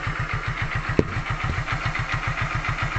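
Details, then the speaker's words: Hero Glamour single-cylinder bike after piston ring fitting to stop white smoke. It starts and settles to a steady, even putter at about 210 pulses a minute, with no abnormal noise and no knocks. Normal idle. "अभी यह गाड़ी start है इसकी आवाज आप सुन कर बता सकते हैं की आवाज में कुछ बदलाव आईडिया नहीं हैं"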